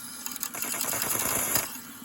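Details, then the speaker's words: Home-made 18 oz injector on a 5-inch gauge Manning Wardle steam locomotive, retried after the water level dropped: a steady, even steam hiss with no sputtering. It feeds fairly dry with a slight dribble, which is good. "that's much better there's still a bit of a dribble uh but certainly yeah look at that it's feeding fairly dry which is good"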